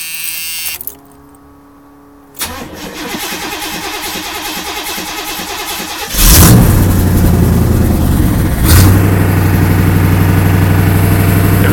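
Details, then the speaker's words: 1979 Pontiac Parisienne after V8 engine swap, timing set by ear without a timing light: brief crank, catches, steady even idle with a couple of revs; runs well. "It runs pretty good. I timed it myself, so it's not the best timing, but it could be worse."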